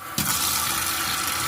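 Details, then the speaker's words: Digital gas water heater with failed ignition: power adapter has electricity and gas is arriving, but water rushes through with none of the expected ticking spark clicks. A stuck gas coil is suspected. "المفروض يبقى فيه صوت تكتكة واشعاع، مفيش."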